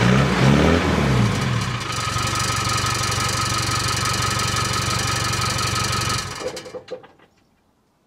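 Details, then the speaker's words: Land Rover 300 Tdi diesel, heard from the rear after the old exhaust was rebuilt and rewelded, tailpipe refitted: fires up, even steady clatter, no exhaust rattle, shuts down cleanly; exhaust fixed and sounds good. "fixed didn't even rattle it's it's clear in the body perfectly that's great that is it sounds good"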